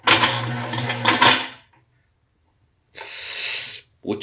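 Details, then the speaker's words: Blender base making a horrible noise, worse than before and barely running: short bursts of harsh metallic clattering and grinding; owner first suspected the drive coupling, but the cooling fan had worked loose. "ya está peor porque ya ni camina en metálico horrible"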